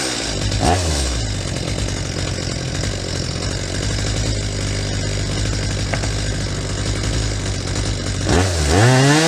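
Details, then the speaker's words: Stihl MS250 chainsaw after carburetor cleaning, setting the high-speed mixture screw: revs to a high steady scream, then bogs when the screw is turned in past the peak, then is backed off slightly rich to a light four-stroking burble. "so same thing you could see how I turned in that high mixture screw until the saw reached its peak and started to go over the edge and bogged down"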